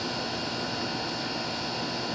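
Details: Goodman outdoor condenser that had a no-cooling call with the outdoor fan not running, now running after the capacitor was replaced: even fan whoosh over a low steady compressor hum, no rattles or buzzing, normal operation; unit later found overcharged with 0 superheat.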